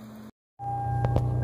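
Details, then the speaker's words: 2008 Toyota Avalon cabin blower: after a brief dropout the fan returns with a steady droning hum and thin whine; a mouse or debris in the blower is suspected. "2008 toyota avalon know if you can hear that blower motor humming making some noise so if your blower motor is making some kind of humming droning noise like that you may or may not have a dead smell like dead mice so there's probably a mouse or some debris in there"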